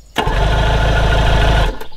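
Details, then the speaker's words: Old Evinrude 90 hp outboard, no fuel connected, internals lubricated, cranked from a Gooloo GP4000 lithium jump starter on Boost. It spins over briskly and evenly for about 1.5 seconds without catching: healthy cranking, no start. "it has no fuel connected I don't expect it to start the only thing I'm looking for is for it to turn over"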